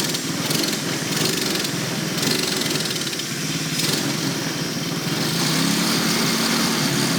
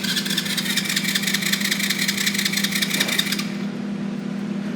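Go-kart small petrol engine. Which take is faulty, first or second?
first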